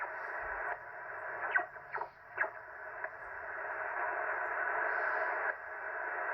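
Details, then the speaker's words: Ham radio receiver with loud raspy hiss, buzz and irregular crackling bursts; RF interference traced to a Ryobi battery charger, with security cameras and a TV monitor also adding noise. "Alright, so we're going to flip the power back on here in a minute, but what we found was a Ryobi charger, and also my security cameras are making noise a lot."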